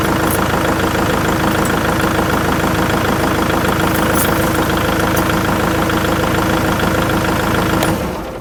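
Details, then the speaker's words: Kubota MX5800 tractor diesel running strong and even at a steady idle for several seconds before shutdown, after ignition switch replacement fixed months of the dash dying on cranking and the engine cutting off. "works like a champ uh that problem has been a pain for several months now"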